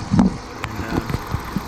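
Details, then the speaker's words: 2011–2013 Jeep Grand Cherokee HEMI V8, check engine light P0205: lumpy uneven idle with engine shake and irregular thumps; misfire from faulty number five injector, driver side, being replaced. "you can see the engine shake it's misfiring obviously you don't want to go too long"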